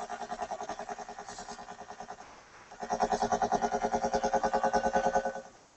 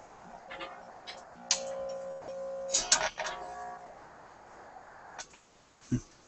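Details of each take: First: Sparton 99A tube radio during IF alignment near 453–455 kHz, no antenna connected: a buzzy tone beating about three times a second over the output, caused by the ungrounded signal generator and cured by grounding it. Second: Sparton 99A vacuum tube radio during AM alignment at the 455 kc IF, heard from the voice coil output; a clear, steady test tone with no hum, after grounding the signal generator to cut the hum.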